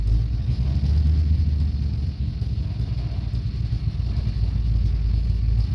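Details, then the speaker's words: 1969 Dodge Coronet 500, believed-stock 440 V8, 4-speed, nearly cold start; carburetor never serviced after sitting for years. Deep, loud V8 rumble at steady idle with a slightly uneven, lumpy beat. Runs a bit rough but keeps going. "it's just a stock 440 is what I believe it is um nothing fancy and it's not running 100 as good as it could just because you know like I said I never even took that carburetor off and it was sitting for who knows how many years"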